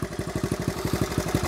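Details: 1970 Honda Trail 70 after years stored; idles perfect, even steady thumping about ten beats a second, no misses or knocks, normal idle.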